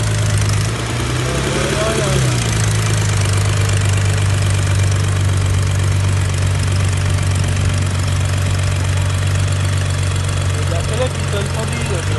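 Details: N55 engine at idle with no throttle applied: a steady low idle with an irregular ticking knock riding on it, about three a second; the knock keeps coming back and its source is not yet pinned down.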